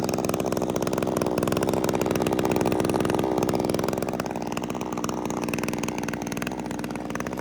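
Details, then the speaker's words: JCB petrol two-stroke hedge trimmer after its fuel pipes were fixed: it starts within a couple of pulls and ticks over with a fast, even buzz that settles as it warms, running fine on its own. "I'll let it warm up now um just give it a try to show you around it while it's ticking over it's running fine by itself"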